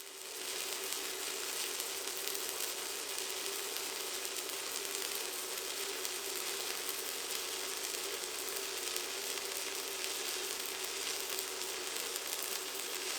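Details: ProWELD MMA 220Puls inverter stick welder with 3.2 mm electrodes on roughly 6 mm steel at about 160 A: even, continuous frying crackle for over ten seconds without breaks or pops; arc strikes easily and stays stable.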